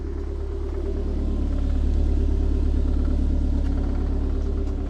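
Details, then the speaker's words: Ford RS Cosworth replica (Boosted 2000) with freshly forged rebuilt turbo engine on remote tune, first drive: deep, steady burble with even low beat and no knocks or misses; idling better now, normal idle. "See how this engine is idling better now."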